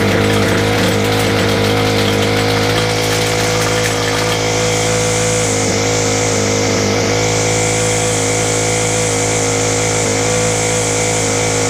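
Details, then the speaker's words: Free Ryobi four-stroke string trimmer on a freezing cold morning, being choked and its carburettor tweaked: high-speed buzz that hunts and wavers. Rough running, just a mixture issue; slow-running jet suspected. "we're getting there it's just literally a mixture issue"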